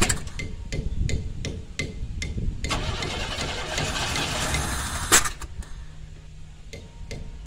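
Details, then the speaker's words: 1990 Camaro RS V8 first start after 12–13 years sitting, new fuel pump, fuel lines blown out: sharp cranking beats then rough, stumbling, uneven firing; misfire from two spark plug wires swapped out of firing order. "I just might get this thing dude the hell don't sound good I don't know if I can do this"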